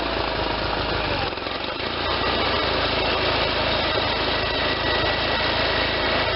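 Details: Case Ingersoll 448 Hydriv garden tractor with Onan twin, rebuilt N46 deck installed, run for a few minutes with belts tracking well; steady, even drone with the deck spinning, no knocks, slips or squeals. Normal running.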